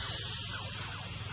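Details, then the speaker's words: 1970s MGB GT turbo whose boost will not exceed about 4 psi: engine-off boost leak test gives a steady airy hiss of air escaping past the fuel injector seals, which are to be replaced. "it back one so much is leaking bad the all don't sound great to be fair"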